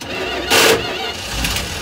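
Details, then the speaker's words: 1974 Dodge B300 Minnie Winnie with a 360 V8 and 727 automatic, parked 27 years. A short harsh grind as the starter engages, then the engine tries to catch. Starter grinding while cranking; owner suspects a bad spot on the flywheel, unconfirmed. "Must have a bad spot on the flywheel."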